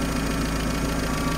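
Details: UAZ 31512 carbureted engine at idle before strobe-light ignition timing adjustment: lumpy, uneven idle with a ragged knocking pulse, because the ignition timing is set well off.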